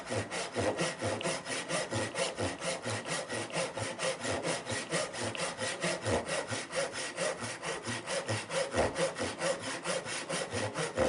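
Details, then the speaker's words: Irwin tenon saw before sharpening, pull-stroke start: rough, uneven rasping strokes about two a second that skip and jump instead of biting, cutting very slowly; dull teeth. "It's just skipping and jumping like there's no tomorrow. And you can probably see the speed that it cut at. It's just it's very slow."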